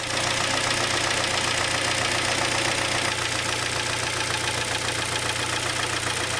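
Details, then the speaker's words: Kia Sportage 2.0 G4KD engine at steady idle: hollow regular knock about four per second; endoscopy found cylinder scoring, worn pistons slapping. Piston slap. "то есть задира поршневой перекладка и в результате мы слышим неприятный стук"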